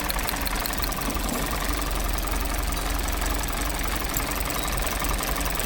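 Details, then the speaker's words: 2020 Hyundai Tucson, 250,000 km, very poor fuel economy (3-4 km/l), P0171/P2187 codes; uneven rough idle, about three stumbling pulses a second, heavy misfire from a shorted ignition coil; spark plugs black, running rich. "बंद कर दे गाड़ी। एक तो इंजन की बहुत आवाज़ है, दूसरा इसकी इंजन कोयल जो है वो शॉर्ट है।"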